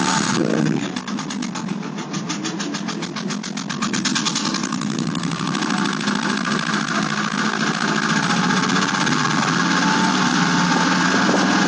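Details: Late-model Porsche 996 911 Carrera 4, noise present about two months and 2,000 km; it stops when lifting off the throttle while driving, so owner suspected the fuel pump. Rough, fast rattling knock, about three beats a second, over the running flat-six; internal engine failure, engine replaced.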